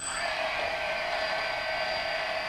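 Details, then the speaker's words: DJI Phantom brushless motor running before its bearings were oiled: a steady high whine with a gritty, hissy grinding rasp. Dry or rough bearing suspected, not confirmed. "a vision rather just plain vision and near that sound little grinding grinding sound okay that's all I wanted to show you there"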